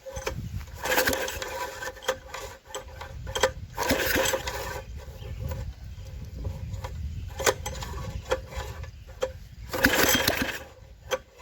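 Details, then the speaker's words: Briggs & Stratton tiller (possibly 5 hp), formerly flooded and seized, running after a stuck valve was freed and water drained: steady single-cylinder run with a few throttle surges and handling noise; runs fine. "Sounds like it will. Yeah, she'll run. Sweet."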